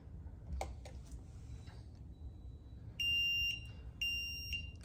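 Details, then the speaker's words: Home fire alarm panel after reset: steady high-pitched beeps in half-second bursts, two rounds about a second apart, stopped by acknowledge or alarm silence; normal post-reset trouble beeping. "And then acknowledge or alarm silence will stop that beeping."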